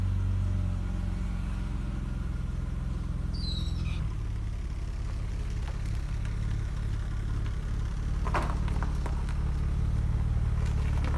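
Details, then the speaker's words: 1995 BMW E36 320i M52B20 six-cylinder, automatic, started cold after sitting overnight, following tensioner replacement: the earlier tek-tek ticking is gone, steady even idle with low rumble and only faint lifter clatter; normal idle. "Oke ini suara mesinnya enggak ada lagi suara tek tek sekarang udah lumayan enakan suara mesinnya"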